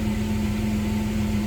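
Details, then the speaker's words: Jeep under rebuild, just fitted with new relays and battery terminal switch, old O2 sensors reinstalled: steady even hum, idle down to normal about 750–800 rpm, temperature rising, good oil pressure; a whirring noise in the engine bay is still heard. "it's down to about normal on the idle, about 750 to 800. Temperature coming up, good oil pressure."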